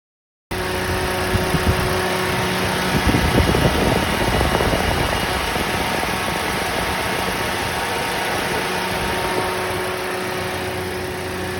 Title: Toyota Rush Alternator Bearing Noise Problem #toyotarush #toyotarushenginenoise #alternatorbearing